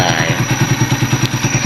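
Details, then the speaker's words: Motorcycle at idle with a thin, steady high whistle over an even putter. The owner suspects a worn coolant pump oil seal, which keeps oil and coolant apart, and plans to replace the seal and gaskets. The source is unconfirmed. "Ganito yung tunog lang sinasabi ko na pwedeng may tama na yung oil seal na ito. Kasi may oil seal din dito para hindi maghalo yung langis tsaka yung coolant."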